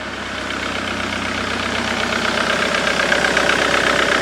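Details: 2008 Jaguar X-Type 2.0 diesel after fitting a replacement fuse box (corroded one had cut power to the fuel pressure regulator/IMV); steady even clatter at idle, rail pressure normal around 260 bar; normal idle.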